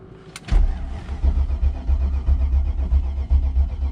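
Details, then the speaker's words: 1994 BMW 740i, low coolant, low mileage, parked after failing to start: starter spins at an even chug but never fires; no fuel pump heard, crank-no-start, with a possible theft-system issue considered and fuses to check first. "i don't know if i hear a fuel pump in fact i really don't"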